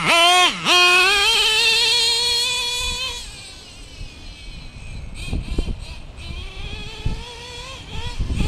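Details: Stock Traxxas Revo 2.5R nitro engine, Trinity pipe, VP Race 20% fuel, single-speed conversion with 40T spur and 15T clutch bell: high screaming rev climbing cleanly, then fading to light burble in the distance; pulls well, properly tuned.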